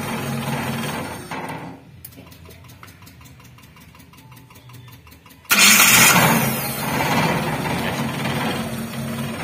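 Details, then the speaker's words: T120SS (carburetor) starter test after replacing the whole starter set and matching its gear tooth count to the flywheel; the old bendix gear shaft had broken from a wrong-spec starter. Steady even cranking, clean catch, smooth run: normal starter engagement. "Suaranya kurang lebih seperti itu. Sekarang terasa lebih halus karena kami telah mencocokkan jumlah gigi dengan roda gila."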